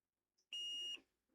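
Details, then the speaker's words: Electronics repair, multimeter continuity test on a second encoder line: single steady high beep about half a second; this line is also shorted, encoder has failed and needs replacing. "No, that one's No, that one's short as well."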